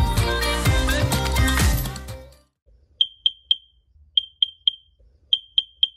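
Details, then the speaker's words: Smoke alarm beeping with no smoke present: three high beeps, a pause, then repeating, after a burst of music; the old unit dated about 2012 had a new battery, so an old or expired alarm is suspected. "You ever had a smoke alarm that just would not quit, even when there's no smoke? Let's talk about it."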